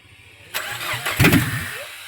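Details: Peugeot 406 that cranked but wouldn't start after engine replacement: brief starter whirr then prompt catch and settle, starting normally once the wire was connected to the sensor, no part needed.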